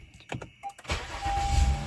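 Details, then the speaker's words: 2016 Honda Accord V6 after replacing faulty battery: few clicks, quick crank, catches at once into steady even idle; healthy normal start, alternator not suspected. "that that sounds happy there you go wonderful"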